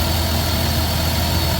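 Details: Engine idling after a broken-belt tow-in, check engine light on (charging system voltage too low, small EVAP leak): smooth, even low hum with a steady rumble and no knocks, squeals or belt chirp; it idles cleanly.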